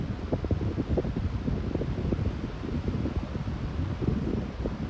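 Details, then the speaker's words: Lasko high-velocity fan on medium speed: a steady low airy rush with an even motor hum or whine underneath and no rattle or ticking. Normal motor hum. "I think low speed has the best startup sound, but it does whine pretty loudly with the winding sound or the humming sound on medium."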